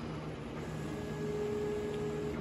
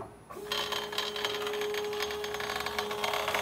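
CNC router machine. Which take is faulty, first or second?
second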